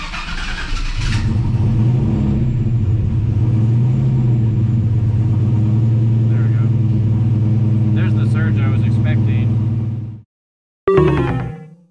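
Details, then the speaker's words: Turbocharged Chevy Silverado with Holley Dominator EFI after big changes to temperature-based cranking fuel, idle settings and IAC park position: idle drone rises and sags slowly instead of holding steady; idle surge from idle air control tuning. "all right made some pretty big changes temperature based cranking and some idle stuff icy park position see if it's any better now"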